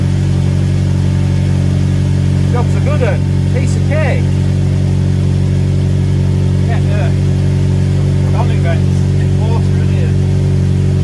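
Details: Ford Mondeo started after replacing a cracked spark plug and refitting the plug leads: fires and settles into a steady, even idle with smooth low drone, no misfire stumble; running clean.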